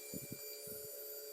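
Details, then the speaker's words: Honda 160 motorcycle single-cylinder engine idling in neutral, stationary: thin, steady high whine (chiado) from the cylinder head, not rocker-arm tapping; also occurs while riding; worn camshaft bearing. Clutch bearing considered but doubted. "E aí eu sei se deu para ouvir aí o barulho certinho como está fazendo tá com chiado bem forte aí acontece em qualquer em qualquer. Tá em ponto morto a moto desengatada parado andando"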